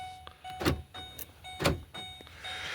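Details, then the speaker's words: Ford Expedition power door locks thunk shut, then quickly clack back open by themselves; owner suspects an ignition issue, with the key warning chime sounding when the door opens, not confirmed. "I'm gonna lock the doors. And you hear how it comes, unlocks itself."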